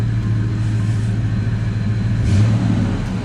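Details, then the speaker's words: Fox-body Mustang V8 with Flowmaster exhaust, first start after sitting in storage about 13 years: deep throaty burble with smooth rev swells and steady low rumble, no misses or knocks; normal revving, runs great. "13 years it runs great"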